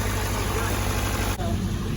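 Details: Diesel on breakdown call (tractor 135 or DAF lorry, previously cutting out after about a minute), run under load: steady even idle with low rumble, no knocks, misses or hunting; healthy.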